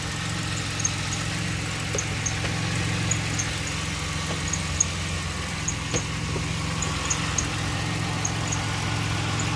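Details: 2006 Pontiac Grand Prix 3.8L V6 idling after a coolant top-up with heater on and bleeder open: loping unsteady idle with faint irregular ticks, shaking quite a bit; owner suspects a blown head gasket because of a lot of coolant bubbles.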